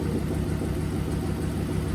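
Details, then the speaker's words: Ford Focus project car with twin-turbo V8 swap, warmed up, idle set around 800 rpm, dials reading just over 1,000 rpm, checked with phone strobe; smooth low steady rumble with no misses or knocks, idling evenly slightly above target: normal warm idle. "I know it will because I've already had it idling and it's warmed up, and it should idle roughly around 800."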